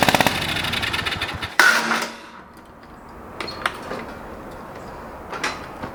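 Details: Old riding lawn mower: catches on a shot of brake cleaner into the carb, fires in ragged uneven pops for a second or two, then dies; gas is terrible, not getting fuel, fuel pump suspected.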